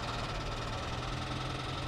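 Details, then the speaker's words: Flood-damaged car at auction, engine apparently ingested water but did not lock up: steady idle with a dense, fast internal knock running underneath throughout; cause uncertain. "I don't think there was any water in the interior I think it just sucked it up into the engine and uh while it did not lock up the engine it defi"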